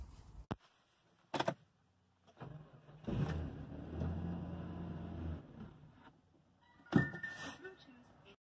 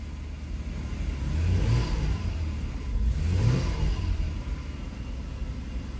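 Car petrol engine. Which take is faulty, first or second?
first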